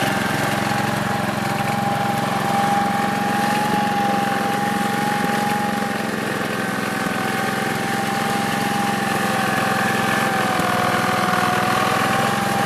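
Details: 1969 Gravely 432 tractor engine, next morning at about 15 degrees, first drive after carb float level fix; even steady drone with constant pitch, no knocks or stumbles over a dozen seconds. Normal running.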